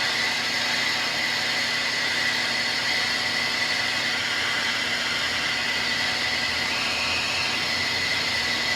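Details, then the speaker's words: Precision Matthews lathe turning down a hardened-steel GM 12-bolt axle bearing journal for C-clip eliminators at 250 rpm after chatter at 380: steady high squeal over hissy cutting noise, normal for hardened steel. "You hear that squealing? That's So that's perfectly normal because that's hardened steel that we're trying to turn."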